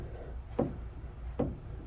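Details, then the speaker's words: Rear differential, pinion rocked by hand: two sharp metallic clunks of pinion gear hitting ring gear after pinion bearing lost preload; U-joint has no play, oil leaking at seal, diff likely low on fluid. "that's the pinion gear hitting the ring gear amazingly enough this thing lost its preload and the rear diff so it has got bearing problems"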